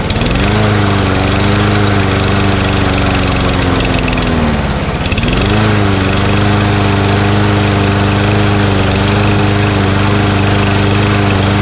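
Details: Mower after hard starting: steady speed, then a brief rev drop and recovery. Owner suspects a sticky carburetor float or debris in the bowl blocking fuel pickup; banged the carburetor to free it.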